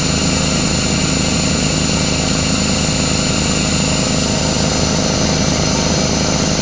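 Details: Craftsman 33-gallon air compressor, after repairs (piston, seal, belt, pressure switch leak): loud steady pumping drone with a low throb and no hiss or knock; filling normally.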